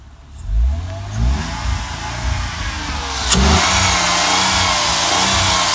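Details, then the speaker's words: Six-cylinder Mercedes that had been running on five cylinders, smoking a little with the check engine light on, after replacing a faulty ignition coil: picks up cleanly through a few blips and settles into a steady, even run with no miss; normal revving. "Running much better."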